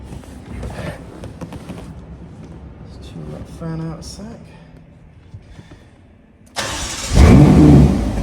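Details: Ferrari California T after immobilizer issue was fixed: quiet for a few seconds, then the engine catches at once and flares to a strong, clean rev; a healthy start.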